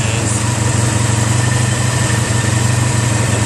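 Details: 1985 Honda Sabre VF1100 V65 V4 started after a full carburetor cleaning that cleared clogged jets and stuck slides, running without choke and responding to throttle: a steady, even burble with no stumbles or misses, a normal idle. Some valve ticking is noted afterward.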